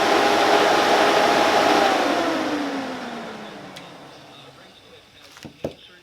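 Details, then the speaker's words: High-quality Spal cooling fan replacing a cheap eBay fan, in a side-by-side sound comparison of the two; one draws about seven amps, while the other calls for a 40 amp fuse. Loud, strong rushing whoosh with a steady hum that sinks in pitch as the fan coasts down. "so so yeah that's a pretty substantial difference give you a quick little display of just the sound of the two of them"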